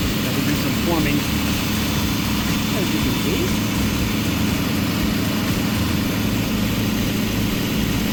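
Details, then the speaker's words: 35-year-old Chevy engine in an RV after an engine-bay clean-up, vacuum hose and AIR system rework and a timing adjustment, at about 800–820 rpm with 19 inHg vacuum: steady, even low rumble, no misses. Normal idle; owner may still check the vacuum lines. "okay she started vacuum's a little have to check the vacuum a little bit maybe one of the vacuum lines there's a billion of them that are in there"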